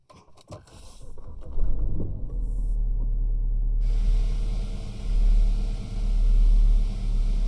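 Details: BMW E92 320i N46N cold start: low, uneven idle surging and sagging, no fault codes, not a vacuum leak; plugs, coils, VANOS solenoids, chain tensioner, ECU, mounts, caps, ambient sensor replaced without improvement; before vs after.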